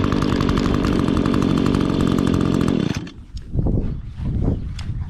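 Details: 2016 Echo GT-225 curved-shaft trimmer, 21.2cc two-stroke: crisp, even buzz at steady high speed for three seconds before it cuts off; the trimmer runs healthy.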